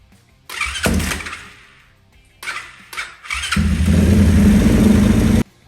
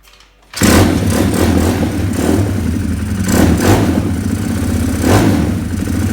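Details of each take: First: 2020 Orion RXB 150 pit bike, weak battery on charge, starts much better after a valve adjustment that had been costing compression; a couple of short cranks, quick catch, then a steady, even single-cylinder idle. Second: 2020 Orion RXB 150 pit bike running before repair; lumpy, uneven putter surging about every second. Owner suspects the aftermarket carburetor was never jetted. It smokes a little, which he attributes to the crankcase being overfilled with oil.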